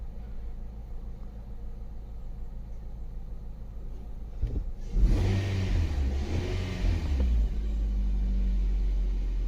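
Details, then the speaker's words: 2019 Nissan Pathfinder 3.5L V6 just after cleaning the MAF sensor: starts super smooth, even idle and clean rev blip, fuel trims correcting to negative 14; normal idle after repair. "Already feels different with the way it started. It's like super smooth now. Oh, look at that. Our fuel trims are correcting."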